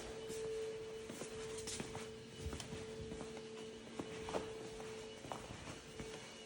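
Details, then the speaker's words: 2011 VW Jetta Sportwagon 2.0 TDI after fuel filter replacement, lift pump activated via VCDS for about 30 seconds, no leaks: faint steady mid-pitched hum whose tone changes as it primes; priming normally. "You can hear the change in the tone now. You hear?"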